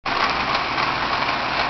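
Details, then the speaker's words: Pontiac Grand Prix GTP at idle around 600 rpm, owner unsure if normal: steady idle under a high whirring hiss with a faint intermittent chirp; owner cannot tell if it comes from the supercharger or idler pulley. "okay this is the sound my grand prix is making um I can't tell whether it's coming from the supercharger or the idler pulley"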